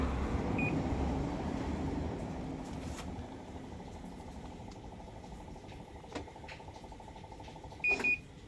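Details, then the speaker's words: Panasonic washing machine showing U12 error and won't spin: brief high double beep at start and again near end in a quiet room. "okay ကျွန်တော်ဒီ Panasonic U12 ဒီကောင် arrow ပြနေရပါတော့"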